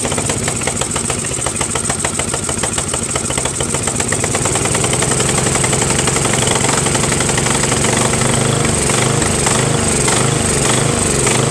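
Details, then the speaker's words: Craftsman 13.5HP mid-engine riding mower replacement engine after ultrasonic carburetor clean, new starter, battery and key: choppy beat near two per second wavering and stumbling, rough surging run, sounds worse than before; cause not found, small fuel leak noted. "weird man now man that sounds worse than before you know well I don't know fellas this tractor is gonna be the death of me I can't figure it out"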